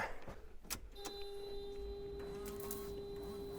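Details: Restored Mazda MX-5, newly installed washer bottle filled with water: a small electric pump kicks in and holds a clean, steady whine with no stutter or strain, washer pump works fine.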